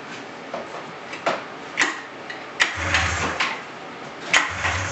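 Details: 1999 Polaris RMK 500 snowmobile after rebuilt cylinder block: sharp irregular pull-start bursts, a brief sputtering catch that dies; cranks but won't run, fuel filter barely filling, fuel pump or tank pickup suspected.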